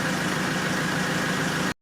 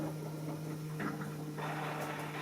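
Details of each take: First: Diesel car after service with fuel filter change, self-purging after misfires: smooth, even diesel clatter at steady idle, no misses or surging before cut-off; starts with no more problem, normal idle. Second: Diesel car after fuel filter replacement during a service, starting: steady electric pump hum with rough hissy bursts early on that then settle as air is pushed through the diesel line; air in fuel line during priming.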